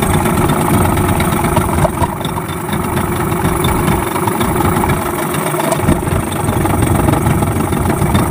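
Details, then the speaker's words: Yamaha 15 hp outboard just after repair for hard starting and no power (stuck piston rings, clogged exhaust), carb and engine reassembled: starts quickly, steady even two-stroke burble with no misses or knocks; normal running. "Sangat mantap, cepat hidup, kemudian tenaganya sudah los."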